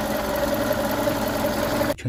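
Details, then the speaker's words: VW Golf Mk5 1.6 at idle with an even, steady hum and no stumble after fixing a cylinder misfire; plugs and HT leads were replaced, and loose injector wiring was the cause. "So, yeah, it seems to be running nicely now. Happy with that."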